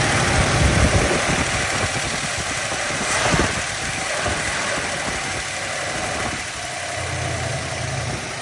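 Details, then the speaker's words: Cold Plymouth V8, stock Carter carb, after sitting about 2 weeks: steady fast idle held well above normal on the choke's fast-idle step; owner usually must push it off the step and babysit it while warming up. "I usually have to push it down off that step thing, and I have a lot of trouble getting it adjusted right, so I have to manually kind of babysit it here while it warms up."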